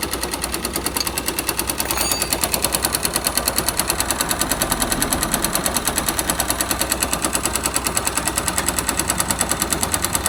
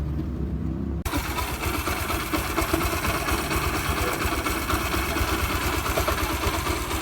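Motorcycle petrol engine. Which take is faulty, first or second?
first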